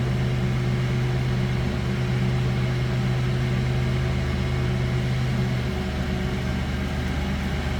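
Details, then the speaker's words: 1990 Buick Reatta convertible idling, heard from around the back seat: even, low hum with a steady drone and a mild exhaust note, no roughness or tapping; clean, healthy idle. "You slip around to the back seat, hear this run. It sounds like you'd expect. Nothing crazy over the top for exhaust."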